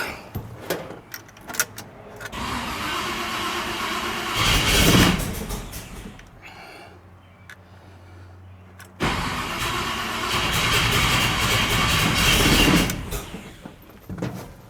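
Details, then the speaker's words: 1986 Chevy C10, newly installed engine, first fire attempt: two long bursts of starter cranking, engine never catches; owner suspects fuel not yet up to it, may need choke. Crank no start. "Let's try it. Still might not have fuel up to it yet."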